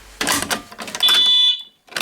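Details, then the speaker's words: Alertek i8005 fire alarm panel in walk test mode: a pull station on zone 1 gives a single shrill half-second pulse, and the panel logs the last zone tested as main floor. "one pulse for Zone one and as you can see it say last Zone tested main floor so it keeps a log"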